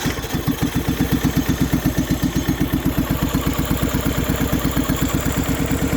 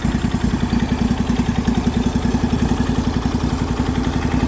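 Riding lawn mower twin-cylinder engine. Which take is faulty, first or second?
first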